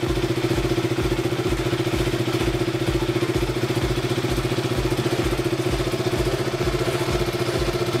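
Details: KTM RC/Duke 200/390 after cleaning rusty, corroded starter relay contacts that caused clicking and no-start: even, regular single-cylinder thump at a steady idle with no stumbling or clatter; normal start and idle.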